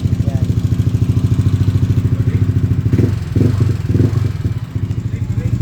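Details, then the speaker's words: Yamaha NMax V1 scooter after noisy-engine repair, noise gone; tuned engine with power cam, so some vibration and tappet ticking is normal: even single-cylinder idle thumping about three times a second, no knock; normal idle. "Pero medyo maingay to kasi kargado pala ' kargado kasi to medyo medyo may iyanig yung makina syempre kargado eh. Ayan yan sa kargado normal lang may lagitech naka-power cam to eh."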